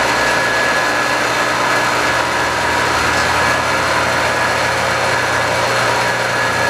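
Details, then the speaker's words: Scrap-saved single-phase air compressor motor with a run capacitor, unloaded at its full 240 V design voltage, drawing about 2.2 A. Smooth, even hum with a faint steady whine. "The bearings sound a little old, but definitely have a lot of life left in them."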